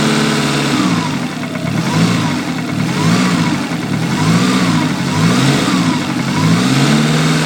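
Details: Lancia Delta Integrale 16v engine blipped repeatedly from idle: a rough knock rides under the revs and rises with them; cause unknown, owner suspects rod knock, crank or valves.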